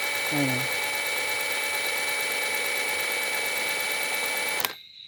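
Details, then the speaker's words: Suzuki Multicab alternator, spun by a drill after replacing its cracked noisy bearing and greasing the outer bearing, with even, not over-tight clamping. Clean, steady high whine with no grinding or rumble; the bearing turns quietly and smoothly. "So okay yung ginawa natin nawala yung ingay niya"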